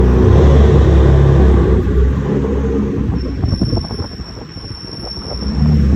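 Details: BMW M3 F80 rear brakes, only when pads are warm: low rolling rumble, then a thin steady high-pitched squeal while turning.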